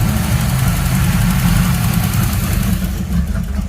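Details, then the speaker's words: Third-gen Camaro idling with foot off the gas: heavy, erratic low idle that lopes, stumbles and pops as if about to backfire or die; temperature fine, later pulled code 33; rough idle. "e again i mean it was doing good idling fine see how erratic that is i mean my foot's not on the gas at all"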